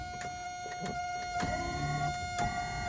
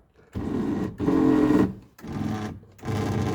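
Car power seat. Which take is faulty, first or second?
second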